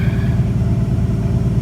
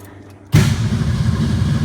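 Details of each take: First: 1962 Ford Falcon, carburetor with manual choke partly on, after the electric fuel pump has pressure again: deep, even low rumble, steady beat, no misses or knocks; runs great, healthy normal idle while warming up. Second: 1962 Ford Falcon with carburetor and manual choke set half on, electric fuel pump: fired right up on a hand-primed bowl with probably a couple gallons in the tank, ran briefly, faded and died; pump not priming, fuel starvation stall.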